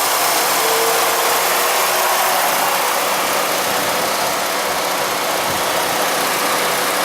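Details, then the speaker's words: 2006 Jeep Liberty Limited V6 with camera on the engine, shortly after cold start: steady, even idle, smooth hum with a little exhaust hiss, no knocks or misses; sounds like a champ. "all right here we go cold start sounds like a champ yeah got a little bit Street V6"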